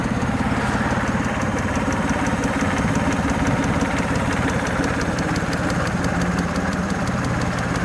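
Fast, light ticking at idle, about three per second, sitting steady over the three-cylinder's low chug; that's injector tick.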